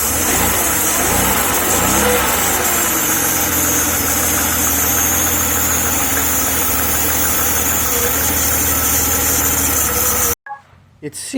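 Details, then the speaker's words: 1994 Jaguar XJ6 (XJ40) idling after replacing a cracked crankcase breather hose: loud, slightly uneven idle with a steady hiss; owner suspects a remaining vacuum leak under the intake manifold between cylinders 3 and 5. "but when I start the car up I still seem to have a vacuum leak that I can't find"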